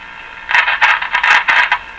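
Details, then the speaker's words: 1935 Rogers Model 7R622 tube radio on shortwave during signal-injection troubleshooting; irregular scratchy crunching bursts as the tuning dial moves, probably dirt in the tuning capacitor. "crunching. So probably some dirt in the capacitor there."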